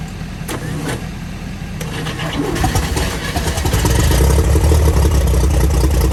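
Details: 1955 Chevy fed from a five-gallon jug after starting fluid: catches after a few cranking beats and settles into a steady even low rumble at about four pulses a second; running fine after start.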